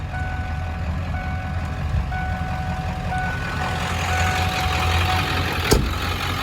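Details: 1995 Ford F-350 dually, 7.3 Powerstroke diesel, five-speed manual, about 121k miles, serviced: deep steady diesel idle, even, no knocks or misses, faint beeping in background; normal healthy idle.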